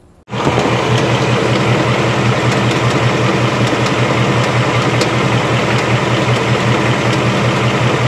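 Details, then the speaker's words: Cold start of a 2018 Mustang GT: a loud, steady roar with faint irregular high ticks on top that sounded awful to the owner; the noise is intermittent and the cause is unclear, the car is headed to the dealership. "I started the car up earlier today and ran it that's getting ready to run to the store and I set it up and it sounded awful"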